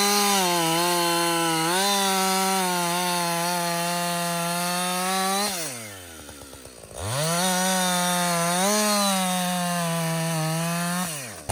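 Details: Husqvarna 562XP 60cc chainsaw, back from the shop after dealer reflashed its software for dying when hot and stumbling, bucking windfall about two-thirds of a tank in: steady high scream bogs slightly in cut, drops cleanly to idle, picks back up; healthy under load.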